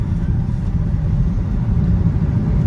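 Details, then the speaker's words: Vauxhall Insignia turbo diesel, driving after EGR valve leak (loose bolt, one snapped bolt) fixed: steady deep drone under load, no hiss or whoosh; earlier boost-leak-like noise gone, more responsive and faster. "yeah like normally now I I'll be hearing it it sounds like a like the car's got a huge Bru leak but it doesn't but guys the car feels a lot more responsive it feels a lot faster"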